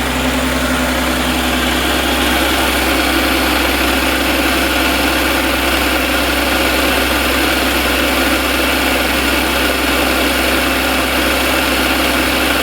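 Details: 2014 Audi S4 3.0T, 106k miles, modified (crank pulley, overdrive supercharger pulley, heat exchanger, intake, tunes), failed suddenly while driving: rough idle with dull uneven knock three to four a second; suspected rod knock, not confirmed.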